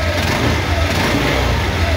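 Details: Honda Vario 150 smartkey scooter (K59 ECM) starting with original ECU and remote: engine revs up cleanly and evenly with steady low beat, no knocks or rattles; normal revving.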